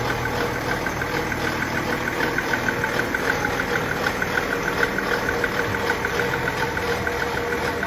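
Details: BMW X5 4.0 diesel inline-six (N57, twin-turbo) at idle: constant metallic clatter and rattle pulsing about twice a second, timing chain rattling loudly, getting worse on the drive from Switzerland but not yet broken.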